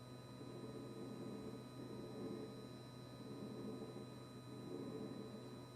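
A quiet, steady electrical hum with a fixed tone holds throughout without cycling off, consistent with a fridge compressor buzzing constantly.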